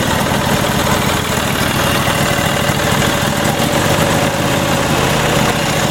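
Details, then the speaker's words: Troy-Bilt GTX2654 mower, 26 hp Briggs & Stratton Intek V-twin, 542 hours, hydrostatic, 54-inch deck, bought as a no-start (blown fuse), smoking briefly: loud steady even drone at full throttle, no misfires or knocks; normal running. "Smoking a little bit. Pretty good. Quit smoking already. It's got that Intech 26 horsepower V12."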